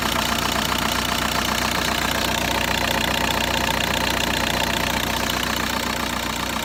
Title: VW Bora 1.9 TDI ARL - engine shaking with strange sound